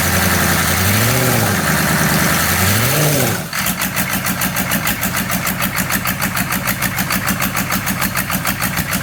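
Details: 6.5 engine after a brief start-up: a lumpy idle beating about three times a second with uneven, shaky pulses. Rough idle, cause unknown.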